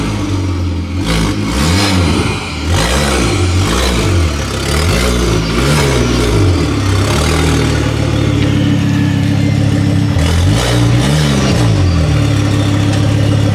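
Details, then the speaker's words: Ford Focus ST/XR5 Turbo with severe misfire: revving with a raspy chuffing puff on each rise and an uneven stumble; exhaust leak where the downpipe bolts came off at the turbo. "so the bolts come off on the exhaust from where the turbo is so you can here the exhaust s all just coming from the front just from right about here"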